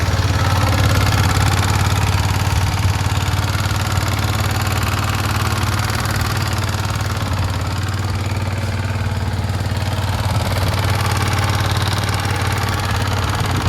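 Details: Yamaha MT-15 single-cylinder idling with a light, even tick about three to four per second; very loose rocker/tappet clearance, VVA rocker also checked, needs adjustment before riding; valve tappet ticking from excessive clearance.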